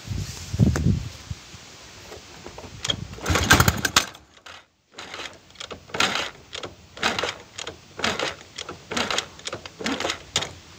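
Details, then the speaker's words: Chinese 125cc kick-start motorcycle engine with iron cylinder, five-wire AC-fed CDI from stator: repeated kicks about one per second, only brief coughs, no catch; throttle opened slightly; hard starting caused by over-advanced ignition timing from this CDI. "voy a acelerar un poquito porque no hay forma de que quiera arrancar"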